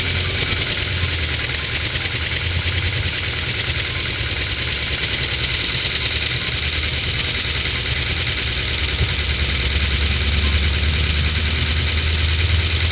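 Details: Ford Focus 2, 2010, 1.6 L 100 hp engine: fast light ticking of about three per second over a steady idle, present from cold and gone when warm. Owner suspects valve clearance needing adjustment with bucket or shim replacement. Unconfirmed.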